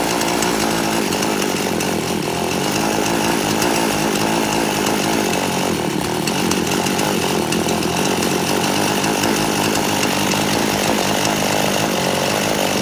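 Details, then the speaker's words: Poulan Pro chainsaw, carburetor deliberately detuned, low-speed screw at 1.5 turns out: dense raspy roar but won't pick up crisply when throttled; low-speed jet still too lean, needs richer setting. "okay I'm going to have to go out just a little further on my low end this chainsaw guys has always been his way the low end has always wanted to be richer"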